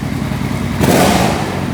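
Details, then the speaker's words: Suzuki Boulevard 1500 V-twin that wouldn't run, fixed by replacing only the battery: catches and blips cleanly, revs and settles evenly, no knocks or rattles; running perfectly. "funcionando perfeitamente. Foi fácil essa, hein? Essa foi só a bateria, pessoal."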